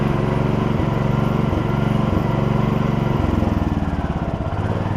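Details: Gravely 16 Professional walk-behind mower, revived after sitting a while, driving with sulky attached: steady, even low single-cylinder thump, rhythm shifting slightly with load; idles and pulls smoothly, good runner on original parts.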